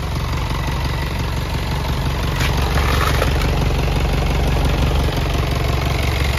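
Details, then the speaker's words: Self-loader truck diesel idling with power take-off switched off: heavy low rumble with rough rattling from the PTO, stiff linkage; worn PTO bearings from lack of gear oil. "Ah yung pto nito mga kayabe kahit naka-off natunog yan yun mga kayabe"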